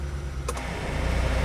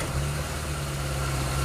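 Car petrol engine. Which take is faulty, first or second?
first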